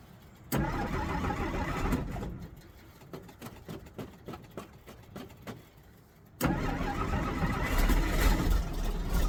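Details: 1963 Jeep Gladiator, owner pumping the pedal, after the key was accidentally left in the ignition and the battery may be low: engine catches briefly then dies, then slow, uneven starter turns before it finally fires; hard starting and stalling, cause unconfirmed.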